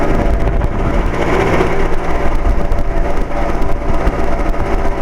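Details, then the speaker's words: 2007 Carrier 2.5-ton central air conditioner outdoor unit, weird noises off and on for four or five years: rough, fluttering rumble with uneven rattly pulses over the running hum; believed to be the fan motor, source hard to pinpoint. "I think that is the fan motor actually it's hard to tell exactly where it is coming from but I believe that's a fan motor"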